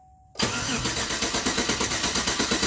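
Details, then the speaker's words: 2007 GMC Yukon, cylinder 1 after head repair (new head gasket, new DOD lifter and pushrod, stuck studs removed), fresh oil: clear-flood cranking compression test, strong even rhythm with no weak beat, 160 psi versus 5 psi before, now normal. "stop and we got a hundred and sixty psi one more time it was five before yeah five before stop so yeah we had five before and i went up quick 160 so this cylinder is back to normal so we're good to go"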